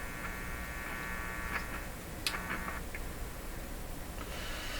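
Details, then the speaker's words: GE clock radio model 913-D valve set on isolation transformer: steady low mains hum under the output returning with volume fully down, intermittently; likely a dirty volume control wiper lifting off at end of travel, leaving open amplifier input picking up hum. "Now when I turn the volume all the way down, the hum returns. And it's kind of hit and miss. That's probably because the wiper inside the volume control, right at the end of the run, is lifting off. Some dirt there or something."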